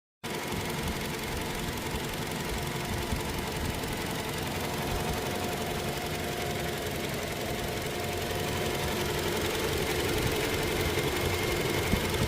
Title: Toyota Hilux Engine Noise Problem – Diagnosis & Fix Step by Step! | Engine Sound Explained #hilux